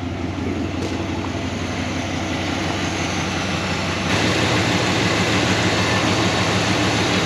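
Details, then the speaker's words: 1969 Buick Wildcat after 26 years sitting, now with 10W-30 oil and new oil pump, instant oil pressure: even, steady idle rumble with regular beat, no ticking or knocking, much quieter than before. Normal idle. "I think that 10w30 and that new oil pump definitely made a big difference much quieter huh so much quieter"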